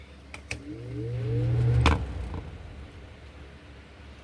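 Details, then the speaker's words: 1998-99 Lasko 3733 box fan with pedal blades, before cleaning: low hum climbs in pitch about a second then settles, normal startup sound for an old box fan. "And just like with any other box fan, especially the older ones, this one has a startup sound to it."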